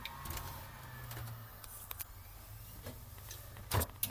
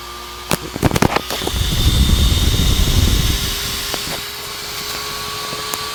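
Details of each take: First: Dell GX280 desktop after the fix, a zip tie through the fan adding pressure to the left side of the CPU cooler: even fan hum, drive spins up with seek clicks and Windows boots. Normal boot. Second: Dell GX280 desktop gives no POST while the fan races, getting gradually louder to a steady rushing whine at full speed. Cause: not enough heatsink pressure on the left side of the processor.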